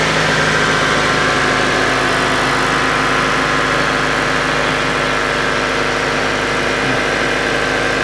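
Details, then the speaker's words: 1999 Honda Civic EX 1.6 VTEC D16Y8 after replacing the catalytic converter and the rear downstream oxygen sensor, checked for leaks and check engine lights: steady, even idle with a smooth low hum, no knocks, misses or hiss; healthy. "Looks good so far. Alright, so everything's working like it should."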